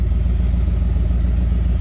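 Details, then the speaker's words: Flood-totaled Corvette ZR1 after engine repairs, with a new air filter and the plenum refitted: uneven, lumpy idle with a low pulsing beat that never settles, because one vacuum line was left unhooked. "so zero one seeming to run good like right off the bat and then it starts run funny again"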